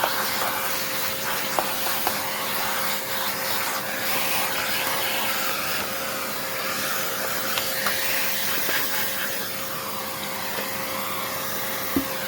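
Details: Hoover Encore U4595 vacuum, long stored in a basement, test run during refurbishment: steady, smooth high-pitched motor whir with an even airflow hiss, no rattles or grinding beyond a little dirt; the motor works and sounds really good.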